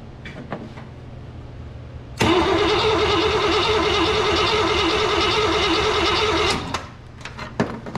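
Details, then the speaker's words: Carbureted Cadillac after a fuel system overhaul with a new aftermarket fuel pump, a cleaned tank and new lines: the starter grinds steadily for about four seconds without catching; crank no-start from air in the fuel line. "oh here we go we're getting uh we're getting fuel now it's got quite a bit of air in it though"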